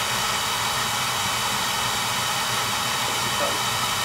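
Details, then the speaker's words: Home oil burner after repair, electrodes reset, new transformer, good spark and oil flow: steady even roar with smooth hiss, no pulsing, rumbling or sputter; clean burn, normal operation. "good spot good oil flow clean pad new transformer fix electrodes good spa good oil flow clean burn ahead so that should do it"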